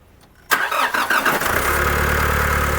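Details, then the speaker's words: Diesel engine whose noise began in early December, now run briefly with the belt and clutch fan removed and the alternator not working: quick start into a smooth, even clatter with no knock. The earlier noise is gone. "Walang ingay. Parang bago. Oo. Nawala na yung ingay, yung kanina."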